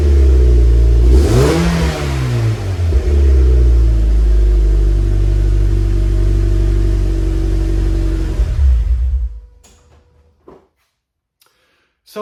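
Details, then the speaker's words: Cold start of a 2006-2015 Mazda MX-5 Miata fitted with a new Yonaka axleback muffler replacing the stock exhaust: flares hard to high revs, then settles into a steady, deep, even fast idle before shutting off; healthy engine. "Okay, here's a cold start with the new Yonaka Axleback exhaust."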